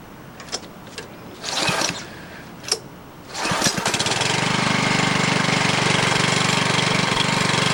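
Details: New MTD Yard Machine walk-behind edger, Powermore 140 cc OHV four-stroke gasoline engine, first start after assembly and priming: a few rope pulls, then catches and settles into steady, even buzz with no misses or knocks; normal running.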